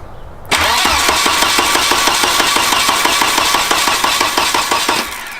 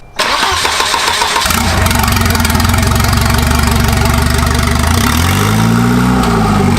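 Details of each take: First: Turbo wagon on a new Microsquirt standalone harness, first start attempt: steady starter cranking about three beats a second, never catches; no spark because Microsquirt has no built-in coil driver, ignition output only logic level; crank no start. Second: Turbo wagon on a Microsquirt standalone harness, intercooler piping unfinished, no exhaust: catches instantly into a strong, lumpy idle, revs up cleanly and drops back; RPM and sensors reading good; normal revving.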